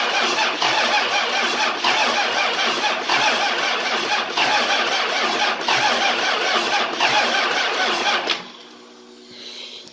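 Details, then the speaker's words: 24V Cummins standalone-wired for a Dodge delete swap, after confirming fuel toward the VP44 and cracking number one injector: steady cranking about two beats a second for eight seconds without firing; hard cranking no start, later needed ether to run. "um it did need a little bit of help from some ether but it does run"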